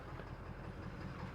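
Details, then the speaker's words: 2018 Ford Powerstroke diesel, about 86,000 miles, idling after installing Fleece upper and lower fuel filters with an S&B fuel tank, no leaks or gurgling: steady low clatter, even firing, no misses or odd knocks; normal healthy idle. "So we'll crank it up. Oh, buddy. So just turned over 86 on this thing, 18 mile, but I keep it clean. So we'll let it here idle a little bit."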